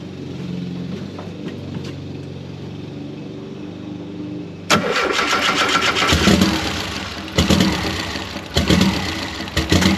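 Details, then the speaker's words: 1973 VW Super Beetle with swapped Subaru engine, idle air control not working, priming pulse off over a suspected leaking injector: catches after cranking, revs sag and surge unevenly without settling; rough idle, can't hold idle. "so we are getting it running but without having the iac working it's really hard to keep it idling"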